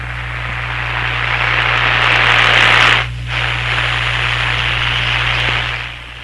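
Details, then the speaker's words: Hammarlund SP-600 radio after power supply capacitor replacement, run at reduced voltage: steady low mains hum under static hiss, constant; owner suspects the audio system hookup, not the radio, is the hum's source. "so we can hear the hum because of the way i have the volumes set my sound system very sensitive and the output here very low the hum is the starting is probably not coming from here it's probably the way i've connected the audio system up"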